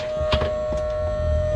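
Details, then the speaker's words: 2018-and-up Sea-Doo with newly installed bilge pump kit, pump firing up once plugged in and still running after the key is pulled: brief steady mid-pitched hum with a few hollow thumps, motor running smoothly without strain; normal bilge pump operation. "and you can hear it's active right it's active it's running so now i'm gonna pull the key off oh the pump as you can hear is still running"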